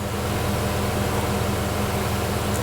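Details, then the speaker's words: 2020 Mazda CX-5 AWD, after torque converter replacement and transmission flush for a 3rd-4th shift chirp, idling during transmission initial learning in M with RPM expected to drop: steady even hum at slightly raised revs, no knocks or whine; normal. "And then after a little while, the RPM should go down."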